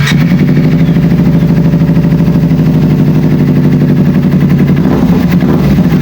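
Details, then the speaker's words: Kawasaki Ninja 250 FI twin after throttle body reinstalled, previously stumbling, low power, sluggish throttle and weak fuel pump pressure: firm, even drone without stumbling or popping; throttle response now sharp, running normally. "Syukurlah, respons akseleratornya tajam."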